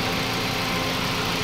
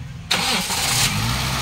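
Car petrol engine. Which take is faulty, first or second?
second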